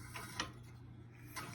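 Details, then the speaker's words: WWII Chore Horse 300 W charging set, model CH1 395-5, turned by hand before a run attempt: spins fairly easily, quiet with a few short dry scratches each revolution, suspected to be rubbing against the shroud. "fairly easy, and I can probably hear that scratching, but I think it's just rubbing up against the shroud there."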